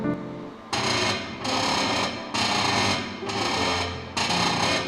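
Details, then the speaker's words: Car creaks when the steering is turned with the wheels loaded on the ground; the noise is louder on the right side and stops when that wheel is jacked up. A harsh creaking groan comes in bursts about once a second. Suspected cause is one of three joints: the tie-rod end or the upper or lower ball joint. "现在的车打方向的时候就出现了异响，所以首先我们就要判断这个声音具体是哪个位置发出来的。很明显，这个声音是从外面传出来的，具体是左边还是右边？"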